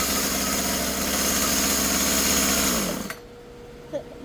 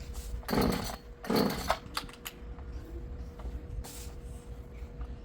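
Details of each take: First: Husqvarna 36 chainsaw after carburetor, fuel line and filter replacement, low set 1.5 turns and high 2.5, cutting wood: high two-stroke buzz holds steady under throttle then drops cleanly; normal running. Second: Husqvarna 36 chainsaw two-stroke with a new carburetor, fuel line and filter: a few pull-start tugs, then a loud, buzzy warm-up idle that wants to die; idle screw not yet adjusted.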